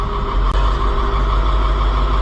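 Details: White 4-180 tractor diesel running after a rear transmission lube pump repair; the transmission pressure light goes out once started and the clutch is let off. Deep, steady rumble with no knocks or grinding, just one brief click; running normally.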